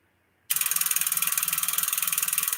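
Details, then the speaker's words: Tube linear amplifier under repair: sharp, even clicking at about eighteen per second as one relay chatters back and forth instead of pulling in, while the other relay stays locked; further diagnosis needed. "It's just the relay on this here is just going back and forth, back and forth. This one stays locked. It doesn't chatter. It's this one that's chattering."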